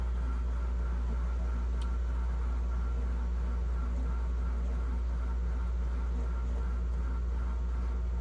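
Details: GE French-door refrigerator, fresh-food evaporator fan running again after seizing from a clogged drain: low, even hum with no ticking, scraping or wobble, spinning freely and smooth after freeing.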